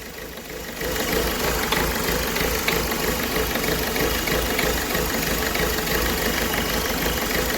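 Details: Ford Figo diesel, about 94 km driven, idling with an uneven knocking beat about three times a second; cylinder misfiring, DTC P0203, check-engine light on, cylinder 3 injector found shorted.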